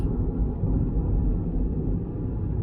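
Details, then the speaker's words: Vauxhall Corsa with three-cylinder engine on a road drive, pulling through third, fourth and fifth gears: steady low rumble with no whine, clunk or grinding; gears and clutch good, no suspension knocks; normal gearbox under acceleration. "yeah all the gears are good no problem with the gearbox the clutch is nice"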